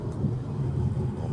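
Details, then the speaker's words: Geely Okavango 1.5L hybrid on highway test drive after DIY replacement with genuine dual-mass clutch flywheel: steady low even rumble, no knocks or rattles; drivetrain and clutch perform normally. "Dito na tayo sa highway guys. Ayan tingnan natin kung okay baang performance niya guys sa ating dual mas clutch na nilagay. So naman okay naman guys."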